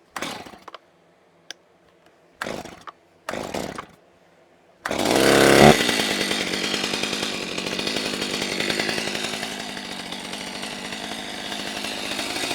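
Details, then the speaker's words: Freshly rebuilt Stihl MS390 chainsaw (Duke's 49 mm cylinder upgrade kit), previously straight-gassed: after a few knocks it fires and idles fast, its speed hunting up and down. A surging idle needing carburettor tuning; cause not confirmed. "my intentions here were to let the saw idle but I just didn't like how it was running it was idling quickly kind of was going up and down in idle speed"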